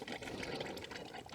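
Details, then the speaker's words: Ford Falcon paddock car, throttle cable stuck wide open: steady bubbling coolant gurgle with no engine note; owner suspects combustion leaking into cooling jacket, not confirmed. "now I saw I heard where the water was coming gurgling from and I reckon it's down here this water yeah not one of these pipes are possible sounds like she's losing combustion into the cooling jacket"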